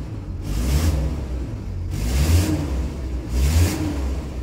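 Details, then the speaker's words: VW Crafter; three revs each bring a rough airy hiss rising and falling with engine speed, as exhaust escapes through the EGR cooler flex pipe cracked by vibration. Later fixed by brazing the pipe. "Я помню когда я его этот Крафтер купил и принял его то по дороге меня Тай звук именно вот такой вот вот шипящий не свистящий а такой шипящий"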